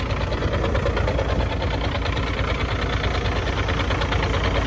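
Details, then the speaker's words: Truck diesel just after start idles steadily with an even low rumble and normal diesel clatter, no knocking. The owner says the air compressor starts knocking after about 10 minutes. "Вы только послушайте как вот Замечательно работает этот двигатель не стучит ничего"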